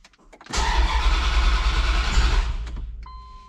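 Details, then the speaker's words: Dodge Dakota R/T 5.9L Magnum V8, freshly fitted heads and cam. Fuel system primed for the first start attempt. Two seconds of even cranking at three to four compressions a second, never fires; crank-no-start, distributor 180 degrees out. "Let's start a kick. Nothing yet. Okay, so we're gonna check for spark."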